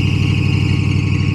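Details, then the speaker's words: Bagged Chevy C10 truck on a cold start: a steady, high-pitched squeal from the slipping accessory belt rides over a fast, high cold idle at an even pitch, and the squeal does not last long. "All right, cold start. Let's see. Listen to this belt. All right, let's hear it. Dude, this belt squeals like bad. Like bad."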